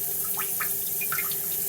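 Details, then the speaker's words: Toilet cistern inlet float valve refilling after a flush, before repair: slow trickle with a thin steady whistle over the hiss, not filling fast enough; worn diaphragm washer (Siamp 34951309) restricting flow, replaced as the fix. "But as soon as you flush, it's not filling up fast enough and it's making this funny noise."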